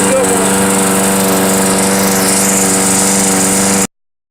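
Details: Toro GTS 6 hp lawnmower running outdoors in wind after its pull-cord rope was replaced. The engine holds a steady, even buzz with no misses, surging or knocking right up to shutoff. Normal running.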